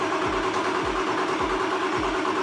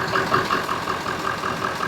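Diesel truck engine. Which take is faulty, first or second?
first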